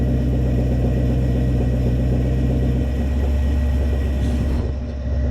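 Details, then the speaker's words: Toyota 1UZ-FE V8 with coil-on-plug on Link ECU, setting base timing: steady low idle whose note shifts and deepens as ignition timing locks to 10 degrees (from about 18), confirmed by timing light; idling normally. "Listen to that again. There it is there. That's locked the ignition timing to 10 degrees as per what the ECU says."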